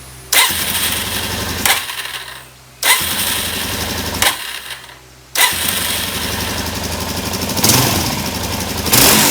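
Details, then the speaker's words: 2017 Suzuki DR-Z400, after fuel screw set to three turns and spark plug replaced: single-cylinder barks rough and crackly on sharp throttle snaps with knocking; owner suspects carburetor jets, plans new OEM jets. "because you could hear this like knocking when you when you crank it like that and we don't want to do that too long"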